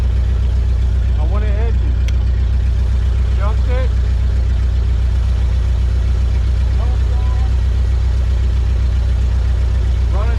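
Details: 1970 Ford F-250 V8, field-find truck sitting untouched, first start attempt after battery trouble: steady, even low rumble at idle with no knocks or misses, running smoothly on its own.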